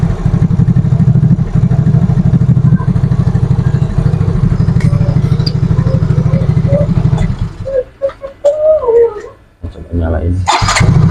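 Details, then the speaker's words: Yamaha Mio Fino 125 fuel-injected scooter after cleaning and adjusting the idle speed control (ISC) via its hose: steady, even putter around three beats a second, no hunting or dying, no throttle held; normal idle. "nyalain jadi ini enggak saya pegang ya untuk e kondisi gasnya tuh ini normal ngangsap Oke aman ya"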